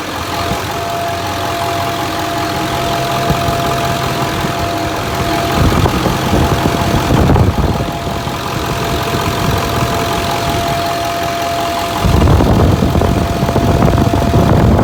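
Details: 2008 Ford 6.4 Powerstroke diesel with DPF and EGR deleted days earlier, after a freeway run: steady mid-pitched hum over the idle clatter, louder in two stretches; the mechanic suspects the recently replaced fuel cooler.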